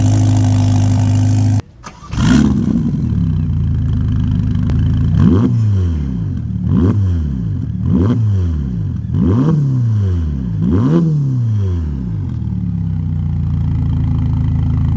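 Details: 2025 Ferrari Roma Spider, 3.9 turbo V8 F154, 620 hp: cold start catches cleanly, several quick rev flares, then deep, even idle; healthy.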